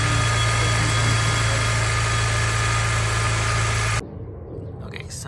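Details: 2003 Honda S2000 idle after tensioner pulley work, until shutoff: steady high-pitched whine over even idle.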